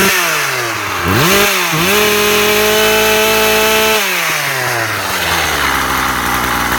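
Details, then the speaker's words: Husqvarna 36 chainsaw after repair (impulse piece suspected at fault), warmed up: crisp blip up, steady high buzz, then smooth even idle; restarts first pull every time; normal idle and revving. "Okay guys, so the saw is running pretty good. It restarts the first pull every time now."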